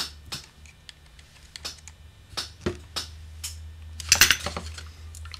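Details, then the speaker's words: Oboe right-hand section, F resonance screw backed off and third-finger key adjusted out: light, uneven clicks as keys are worked; third-finger key not closing in time, so it taps. "and I've adjusted it out to where you can hear that tapping sound so it's not quite closing when it should"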